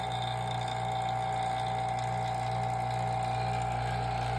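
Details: Vacuum pump on a vacuum chamber furnace, just after the heating element was replaced, oil just below maximum and the seal closed: an even, steady drone with a constant mid hum and no popping; the seal is holding.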